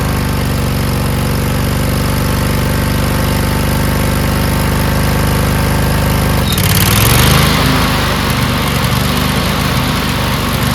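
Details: Newly rebuilt Craftsman DLT2000 riding mower twin running after fasteners were tightened. Steady, even low drumming that briefly revs with more rasp. Runs normally, but fuel then leaked from the solenoid onto the very hot muffler, causing a fire.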